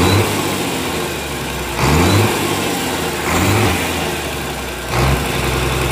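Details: Komatsu S6D125 diesel first start after general overhaul (crankshaft, liners, pistons, conrods, bearings renewed; turbo, pump, nozzles serviced): steady clatter, clean rev blips settling quickly to even idle, compressor hiss, clean smoke; runs healthy.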